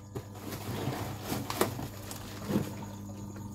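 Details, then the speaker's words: SunSun HW-603B canister filter (400 L/H, 6 W) running, with the microphone held close to capture its noise: a soft, low, steady hum under a gentle water trickle, quiet with no rattle or grinding. Operation is normal. "Máy đang hoạt động mình đang để gần cho các bạn nghe cái tiếng ồn luôn nha Nói chung nó cũng kêu mà nó kêu nhỏ nhỏ các bạn"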